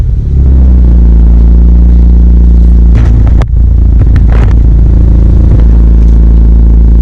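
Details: Toyota MR2 Turbo 3S-GTE with a small crack in the block at cylinder 3: loud exhaust under acceleration in 1st and 3rd gear stumbles with uneven, choppy misfire pulses.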